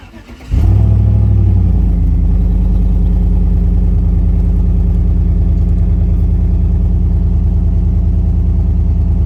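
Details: 2014 Chevy Suburban V8 startup with the exhaust cut before the muffler, resonator and muffler missing after an attempted catalytic converter theft: loud, raw, deep rumbling idle, an exhaust leak.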